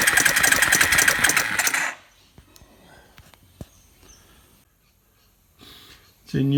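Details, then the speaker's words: Suzuki Quad Runner 250 single-cylinder ATV under restoration, starter motor test with a little oil down the bore: quick, even chuffing about four beats a second for two seconds, then stops; engine turns over freely. "I want to just turn it over with the starter motor briefly with without a whole lot more oil in it"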